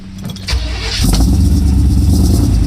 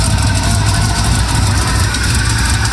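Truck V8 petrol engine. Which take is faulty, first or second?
second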